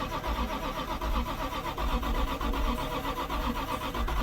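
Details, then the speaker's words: Supra sitting since 1995, first start attempt with starting fluid: steady rhythmic cranking that never catches; starter turns the engine over but it won't fire, starter getting hot. "It's close. It's so close, you guys. Starter cool off. We almost had it."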